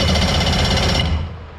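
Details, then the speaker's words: JetStar 1250 boat engine, neutral safety switch bypassed with a jumper wire: starter spins it briskly with quick, even chugging for about a second, no start yet; normal cranking. "Now, let's see what happens with the key. Woo! She cranks right over."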